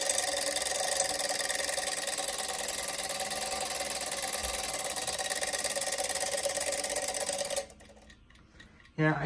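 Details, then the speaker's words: Vintage Landau alarm clock bell: rings thin and buzzy for about seven seconds then cuts out, not striking cleanly; alarm out of adjustment. "it's weird like i loosened it and now like it wouldn't ring properly and i tightened it in it was too tight it wouldn't ring"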